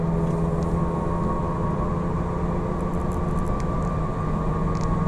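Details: Falken FK510 tires: steady low road roar with a constant droning hum underneath at cruise, pointing to noisy tires.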